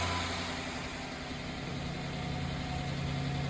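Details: 2015 Chrysler 300C 5.7 Hemi V8 first start after bearing journal repair, check engine light on: steady, even low idle with smooth unbroken beat, no knocks or ticks; running healthy.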